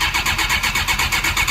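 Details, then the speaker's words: Suzuki GSX-R 600 SRAD carbureted bike, sat for years: starter spins it briskly at six or seven pulses a second with strong compression but no firing; cranks but won't start, fuel priming being tried. "got really good compression. It almost tried. This carburetor. It sounds good. It's got really good compression."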